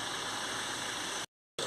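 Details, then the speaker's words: VW Golf GTI TFSI petrol after changing four spark plugs and the ignition coil for a P0301/P2302 cylinder 1 misfire: idles steadily and evenly with no shake or misfire, fault codes cleared. "you can hear the engine is running smoothly hasn't got that shake misfire that i've had before so that's all good with that"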